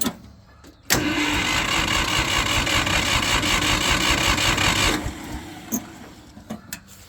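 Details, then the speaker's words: Old gas Ford 2000/3000 backhoe tractor after new 2-inch exhaust pipe and muffler: starter spins the engine at an even chug for about four seconds without firing; it has run out of gas. "oh yeah I run out of gas I got to go get some gas"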